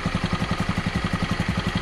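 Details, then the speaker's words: Honda Beat scooter idling after piston replacement for oil burning and white smoke: quick, even single-cylinder putter, no knock or clatter, no more leaks; normal idle. "Oke, jadi mesinnya ini masih enak juga kita dengar, dan mantap juga. Dan tidak bocor lagi."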